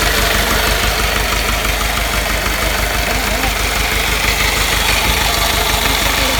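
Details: 1986 Mahindra 500D jeep, International slow-speed direct-injection diesel, idling after cold start following 18 years of standing: fairly regular clatter about three beats a second, slightly uneven idle; no clear fault yet.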